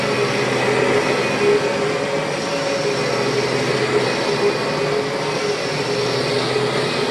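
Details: 1996 Kirby G4 vacuum after refurbishment with new bearings and a transmission swapped in from a donor G3 (not perfect sounding): steady, even mid-tone motor hum with no rubbing or grinding, bearings smooth; normal motor run.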